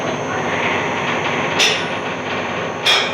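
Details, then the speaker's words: BendPak 4-post lift, raised with a 1980 C3 Corvette on it: steady loud high-pitched whine with sharp squeals about every 1.5 seconds; came on suddenly, owner suspects the lift needs greasing, not confirmed. "So what it sounds like is the lift needs to be greased bendpak. It's funny how quickly this came on. It was not sounding like this at all."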